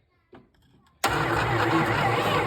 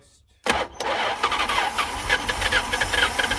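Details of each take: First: Long-forgotten 1973 Plymouth Satellite, first start attempt with a screwdriver: single click, then the starter turns the engine over at a steady even rhythm without catching; cranks but doesn't fire. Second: 1973 Plymouth Satellite first start in 39 years: short crank on a fresh battery, it catches at once and settles into an even, steady idle with no knocks or stumbles; runs smoothly.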